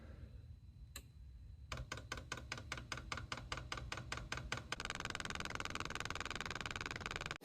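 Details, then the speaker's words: Chinese diesel parking heater, reassembled after an E-8 no-combustion/fuel error and run from a 12 V supply at about 8°C (46°F): crisp, even dosing-pump clicks about 2.5 a second, then a fan hum joins in. Normal fuel pump priming. "so it's all put together Juiced up this thing come on here go ahead and prime"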